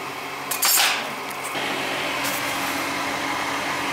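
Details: Old Goodman gas furnace on a no-heat call, just after the bound-up part was replaced and the unit switched back on: a few clanks, then a steady, even blower rush with no rattles or squeals, firing and running normally.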